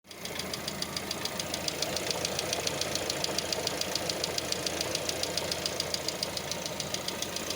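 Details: Lada Vesta at idle: crisp, fast, even ticking over a quiet idle from noisy hydraulic lifters; knocks during warm-up in both warm and cold weather and sometimes disappears once the engine is fully warm.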